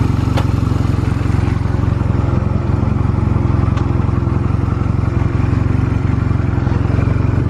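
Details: Stored Honda Rebel 250 MC13 start-up check: small twin thumps at a steady, even idle with no ticks, knocks or rattles; engine sounds healthy, no abnormal noise.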